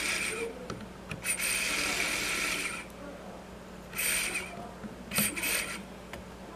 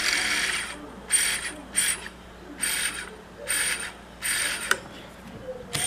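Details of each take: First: Webcor EP 2104 tape recorder rewind with switch held down for good contact: light whirring rasp in bursts as reels spin up and stop, no grinding or stalling; rewind works, switch contact otherwise poor. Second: Webcor EP 2104 tape recorder rewind: whirring bursts start and stop about once a second as reels spin and cut out; a switch isn't making good connection, works when pressed down, fixable with pliers.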